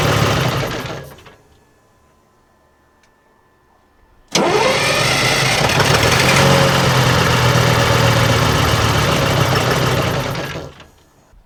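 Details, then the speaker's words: AVGP Husky armored vehicle diesel, first start after 10-15 years sitting outside: starter cranks steadily about four beats a second for several seconds, never catches, no smoke or popping; no fuel reaching the injection. Crank no start, no fuel delivery. "there's still no fuel going through the yeah we're not getting any fuel coming out awesome and was that either running it on there it should be getting at least a bit of smoke or something going trying to pop a little bit"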